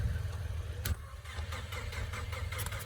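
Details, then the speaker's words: 2016 Ford Mustang EcoBoost, new engine tuned on E85 with big Precision turbo, auction car after kill switch bypassed, almost full fuel: steady starter cranking with even low chug, not catching; long crank before starting. "It sounds like it wants to start."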